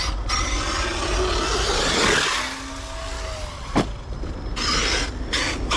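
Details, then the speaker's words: Traxxas X-Maxx 8S RC truck driven hard: motor and tyre roar with a rising and falling screech under load. Owner suspects the rear diff after finding pinion and spur fine, but a Techno pinion was later found stripped. "The diff is screaming, guys. I think it's a rear diff."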